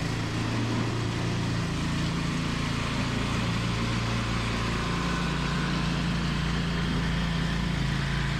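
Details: Toro 521 snowblower fired up after replacing a blown drive belt; new belt fits tight. Small single-cylinder engine runs at a steady, even pace with no knocks, slips or squeals; sounds healthy after repair.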